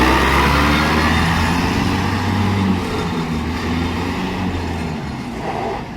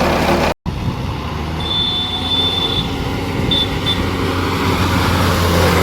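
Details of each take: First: VST Shakti MT 270 small tractor after gearbox repair and full reassembly, driving home. Steady, low, even diesel chug with no grinding or whine from the drivetrain; normal running. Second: VST Shakti MT 270 small tractor before gearbox repair: loud noise in 2nd and 3rd gear. Rough rumble under way with a thin whine riding over it, pointing to worn gears and bearings; gearbox gear whine.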